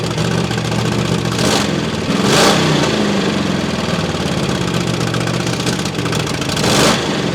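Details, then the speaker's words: Holden 5.0L V8 Commodore, first fire-up after reviving the fuel, cooling and electrical systems; exhaust bolts left untensioned, so the V8 runs loud and raspy with throttle blips and an extra harsh puffing edge over the note, likely from an exhaust leak. "Although, in forgetting to tension the exhaust bolts, it meant the old 5.0 was probably making a bit more noise than it should have."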